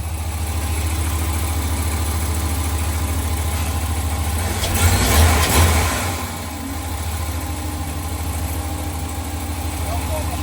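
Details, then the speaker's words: 2021 Ram Limited Longhorn, 5.7 Hemi eTorque, idling after the cracked exhaust manifolds were replaced with BD Diesel manifolds, inner liner still off, leftover oil: a deep, even V8 idle with no ticking or puffing, quiet and healthy. "It was just testing before we put the inner liner back on. Got a little bit of clean took it off. That's just leftover oil. It's so quiet. That's perfect. It's a new truck again."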